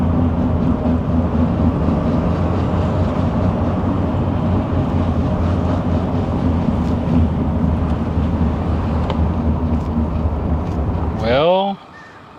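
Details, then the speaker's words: 2020 Ram 3500 dually on the road after the front wheel bearing was replaced: steady drive rumble with a faint repeating metallic tap, the noise still present; owner suspects the front differential, and shifting into 4WD high did not change it. "darn it it's still happening based on what I saw after I took everything apart or what I heard really I suspect the noise is coming from the front differential"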